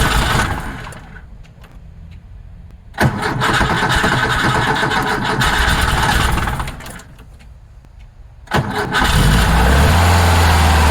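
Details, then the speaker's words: 1966 Porsche 912 cold start at about 60°F after fuel line fix: two cranking tries, then lumpy uneven idle with loose clacking, first feared a thrown rod, traced to a loose valve adjuster on cylinder two, runs poorly. "so that noise that was happening that that clacking it I was like oh no it's a rod that's been thrown"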